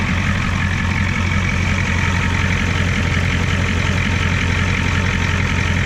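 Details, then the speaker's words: 1989 Ford F250 extended cab with 7.3 IDI diesel, fuel system being reworked, first start from the cab after earlier starts via the solenoid: deep, even diesel clatter at a steady idle with no misses or knocks; runs smoothly. "I've been starting it through the solenoid see what happens to click knitty click oh yeah that sounds a lot better a lot better"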